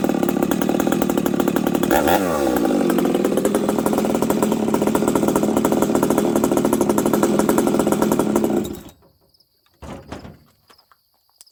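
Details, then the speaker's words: Husqvarna 371XP two-stroke chainsaw that misfires and runs poorly, during carb tuning with idle raised and high jet richened slightly: buzzes high and ragged for several seconds then abruptly cuts out; the engine stalls. "how this thing just quit, friends? This is interesting."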